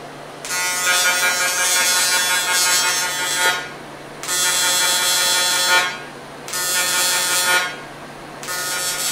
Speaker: That's pulse. You set up on pulse, Yeah. and that's you set it up on pulse because you apply the heat, then it cools. Apply the heat, then it cools.